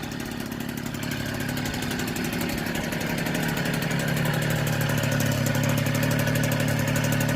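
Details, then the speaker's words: 1964 NSU Quickly S23 3-speed moped, first start after engine rebuild, crank internals oiled so some smoke expected: crisp rapid two-stroke popping settling into even idle about four beats per second, no misses or rattles; healthy. "Very proud of me. This is my first 3-speed engine rebuild. And it's popping like a Swiss."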